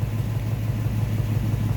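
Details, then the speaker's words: Nissan 350Z with check engine light, heavy exhaust smoke and a cylinder misfire code. Idle has an uneven, stumbling beat with repeated dropouts from one dead cylinder; later traced to a fouled spark plug. "Ah so ito yung sasakyan. Maririnig mo na misspire e."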